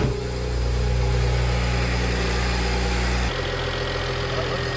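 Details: 2007 BMW E92 335i N54 idling after belt tensioner replacement and cooling system bleed: steady, even low hum with no belt squeal or rattle; belt drive sounds healthy.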